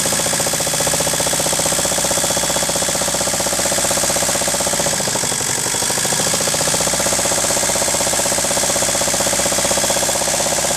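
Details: Ford 1.8 TD diesel idling: steady deep knock about three per second under the clatter, keeping pace with the engine; worn crankshaft, which later broke in two.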